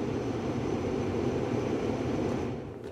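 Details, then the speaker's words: 2004 Mercury Grand Marquis after replacing the faulty blower control module that had the fan stuck on high. A steady, even rush of air with no ticking, squeal or rattle eases off as the fan is switched off; normal blower operation. "Go ahead and I can cut it off now. and it turns off the fan."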